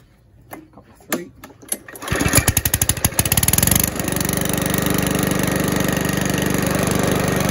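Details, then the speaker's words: Free Mountfield mower, fixed up with fresh oil, a cleaned filter and sharpened blades, fires after a couple of primes and a few pulls. It chugs briefly, then settles into a smooth, steady run: a normal start. "primes so as you can see it starts and runs really well"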